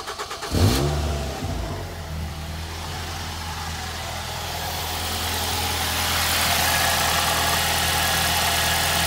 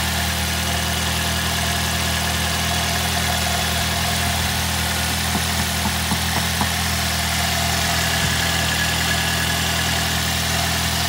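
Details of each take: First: 2006 Ford Fiesta ST petrol engine at idle with a light, tinny buzzing rattle from the exhaust manifold heat shield vibrating loose due to a broken bolt; heat shield rattle at idle. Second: 2006 Ford Fiesta ST at idle after fixing the manifold heat shield and fitting a vented mini breather filter; steady even idle hum, smooth low drone, no rattles, ticks or misses.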